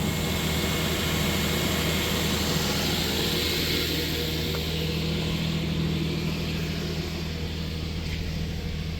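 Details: 2016 Nissan Frontier 4.0 V6, manual, after alternator replacement to cure a long-running belt chirp (new tensioner and belt hadn't fixed it): steady, even idle hum with no chirp or squeal; accessory drive quiet, normal idle.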